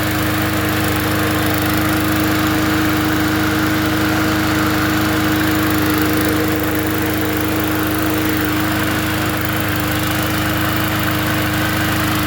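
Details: Free 20-inch Bolens push mower from the dump, fixed up to sell: engine holds a steady constant-pitch drone at speed with no surging, misfires or rattles; runs and does what it needs to do.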